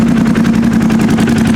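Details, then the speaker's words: Engine with 2,620 km on odometer, codes cleared after coil fix: smooth, even idle with a steady quick pulse, no knocks, bangs or ticking. Normal idle. "no clicky blockies no bangs"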